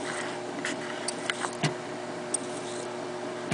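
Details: Old Eicor reel-to-reel tape recorder after new belt and felt replacement, playing tape: even motor hum with occasional light mechanical clicks from the metal pinch roller and counter; transport runs smoothly.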